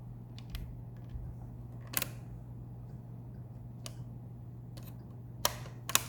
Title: Bricked Wii blue light ticking sounds